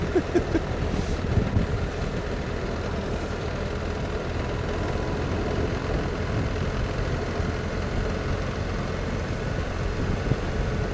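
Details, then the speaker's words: BMW R1300 GS Adventure boxer twin, loaner bike, idling: steady beat with a light metallic clatter riding on it; rider suspects the tappets need doing, sounding like they smash on the outer casing, unconfirmed. "I think this definitely needs good tappets doing. And they're smashing themselves on the outer casing there. That's what it sounds like."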